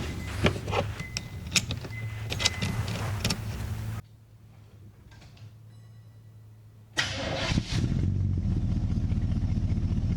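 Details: 1940s Mercury-type chop-top custom coupe with a high-performance 350 V8 after loose wiring joints were repaired and soldered: several seconds of rhythmic cranking, a pause, then it fires and holds a steady, even idle; normal start.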